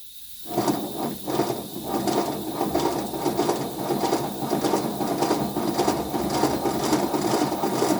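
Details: Simplex under restoration, air-driven engine on 30 PSI compressed air, not yet lubricated: dry irregular chuffing and clicking about ninety beats a minute; runs, but leaks remain and blowdown valves need replacing.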